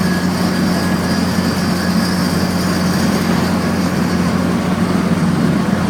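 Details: Drivetrain after installing a one-piece aluminum driveshaft: loud steady low drone and constant-pitch hum in the cabin while driving; owner wonders if normal or if the U-joints need grease; cause unconfirmed.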